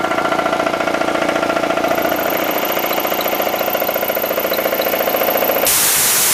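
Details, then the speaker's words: Old painting air compressor, cut-off set around 90 psi: steady fast pumping, then a loud continuous rush of air at cut-off instead of one short puff. The culprit is a leaking one-way check valve in the tank, not the pressure switch. "it's it's just staying continuously on um after it's supposed to trigger off and there's loads of air coming out of it"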